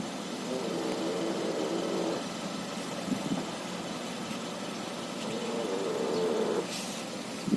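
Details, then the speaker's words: 2011 Hyundai Avante MD (5th gen), 222,000 km, idling: drawn-out squeaky creaks twice as the wheel swings lock to lock, from the front suspension; ball joints suspected but not confirmed. "при повороте руля до упора в одну сторону в другую сторону были слышны и такие скрип"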